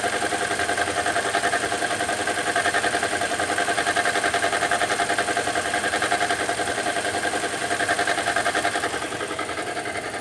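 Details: 2015 Toyota Corolla at idle: a fast, even light ticking of a few beats per second riding over the engine hum; owner asks what the engine noise is, source of the tick undetermined.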